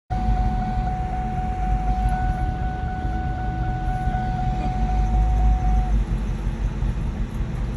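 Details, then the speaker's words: 2004 Ford Mustang Mach 1 manual, about 80,000 miles, idling rough: deep uneven lumpy idle, RPM dropping, shifter and transmission shaking, faint whine above; engine hesitating. "so you can see how the car is idling kind of rough it's dropping rpm and the stick shift was shaking the transmission was shaking which is showing that the engine's kind of hesitating and having issues"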